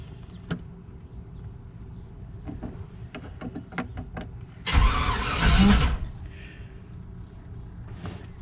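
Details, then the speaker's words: 1995 Chevy Tahoe 4WD TBI, unrun since 2018, with a fuel delivery problem: clicks and a short burst of cranking that never catches, no fuel pump hum, fuel pump relay swapped and good; crank no start, pump suspected. "i don't hear a fuel pump there's nothing going on in the back there's nothing so that eliminates this being the problem"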